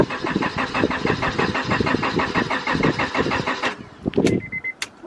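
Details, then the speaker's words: Auction-bought 5th-gen Honda Prelude BB6 of unknown running condition, first start attempt: starter spins the engine about five even turns a second for nearly four seconds, then clicks and quits without firing; fuel delivery later found lacking. "all right we're going to try this again with starting fluid"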